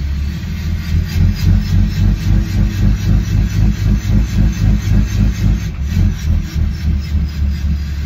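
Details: 2013 Ram 6.7 Cummins, fully warm (86 °C), exhaust removed, under light throttle: rhythmic whooshing turbo/VGT surge about four per second; boost limited to 16 psi, and sensor, actuator and solenoid swaps didn't fix it. Cause unconfirmed.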